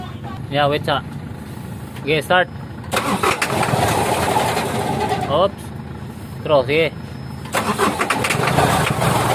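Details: Semi-electronic-start engine: long, drawn-out cranking in stretches, over music, before it barely catches; hard starting, cause not known.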